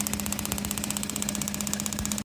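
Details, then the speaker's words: Jeep with EFI, cylinders two and five completely dead, the others firing; no spark on number two even with new coil and plug wire; fast uneven ticking over a shaky idle with steady hum; cause found to be a fried PCM. "All right, this is cylinder number five. Number two and number five are completely dead. The others are working."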